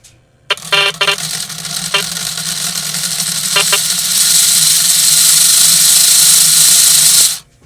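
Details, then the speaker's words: Lionel L&N GP-38-2 diesel locomotive made in 1992, bench-tested on a CW80 transformer: a few short electronic horn blasts, then both motors whir up to a steady, even hiss with no grinding. Forward, neutral, reverse and the horn all work normally. "Yeah, both motors are turning just fine. I'm not seeing any issue at all."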